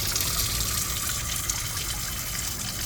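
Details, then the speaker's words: Sea Ray boat overboard discharge: a steady, hard hiss and splash of water gushing out, misting the boat. A hose is to be jammed in and cut flush to slow the strong flow. "hopefully that will slow that flow down some it's pretty strong"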